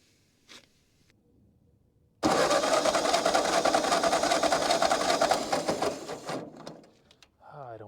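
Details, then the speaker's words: Ford 9N tractor, after the distributor was reinstalled: the starter churns steadily about four seconds, never catches. Cranking no-start with no spark. "okay now we got no spark so I made an adjustment I'm not sure if it's going to work or not"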